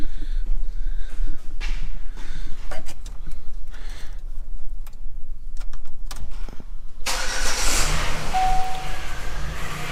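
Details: 2016 Dodge Grand Caravan engine starts and settles with a faint steady whine over it from a defective replacement power steering pump, to be replaced again under warranty.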